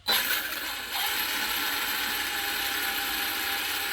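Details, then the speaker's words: New Arrma Kraton 6S EXB RTR 1/8 RC truck on the bench, driven slowly: thin, high-pitched steady whine with faint grinding edge from the drivetrain, first heard on its first run; center diff to be checked. "it sounds almost like there's some something grinding or but it's very high pitch so we're going to dig into it and let's see what it is"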